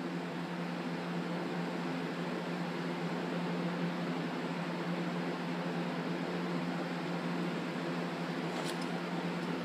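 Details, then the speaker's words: Stand fan running with blades refitted and no guard, after it started making a loud racket and squeaking (likely needs oiling); steady roar over a rough, uneven droning hum; fan blade imbalance. "But you can hear it sounds like utter crap. It's not even in balance."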